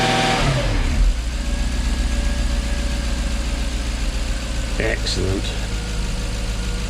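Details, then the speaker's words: Jaguar XK8 V8 after ignition coil replacement cured a misfire: clean throttle blips rising and falling smoothly, then straight back to a steady idle of probably around 800–850 rpm with no stumble; good oil pressure, battery charging, temperature down. "yeah she's running good we've got good oil pressure batteries charging half a tank of gas just over temperatures down of course it would be we're probably ticking over around 800 maybe 850 ."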